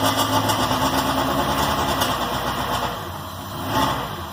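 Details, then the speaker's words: K24-swapped Honda Insight on Speeduino, first start after crank/cam trigger testing and valve adjustment: engine catches and settles into an uneven idle with quick pulses and fluttering; it runs, earlier valve tick gone after adjustment. "She runs! She runs! She runs red. So there we go. We got her running again. Seems like everything's okay. Sounds good. The tick is gone, so my valve adjustment works."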